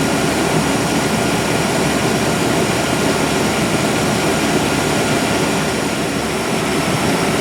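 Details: 1997 GMC 1500 5.7L Vortec V8 running after fuel pump then clogged fuel filter replacement (erratic fuel pressure before): steady, even run, much better, with only a faint flutter left that owner isn't worried about.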